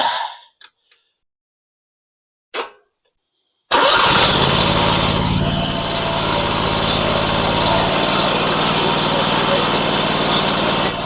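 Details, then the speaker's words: Sawmill engine, larger than the original, run briefly with shrouds off after a bad bearing was replaced; a few clicks and a pull, then a smooth, even run with no knock that sounds like new; normal running. "I can tell you right now that sounds 100% better actually sounds like it did when it was brand new except it's got a lot bigger engine on it"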